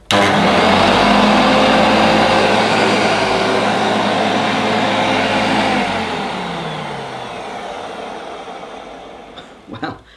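Smooth, even motor hum with a steady whine that winds down cleanly when switched off; this motor is running healthy.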